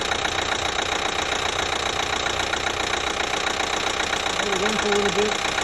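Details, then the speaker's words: 2012 Chevy Equinox 2.4L with a new timing chain, at warm idle; runs silent when cold, noise starts as it warms: light, fairly even ticking three or four times a second, cause still unknown. "the thing is when you're cold and you start it the engine runs beautiful no noise whatsoever it sounds good but as soon as it starts warming up i get this"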